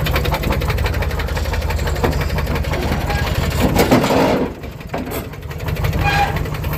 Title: Lexus even with rod Knock still runs